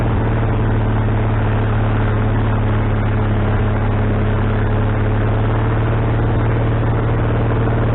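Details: Wood-Mizer LT40HD sawmill engine just started after fitting a new carburetor, bowl having drained overnight: fast, steady drone that never settles to a slow idle; owner suspects the governor linkage is hooked in the wrong hole.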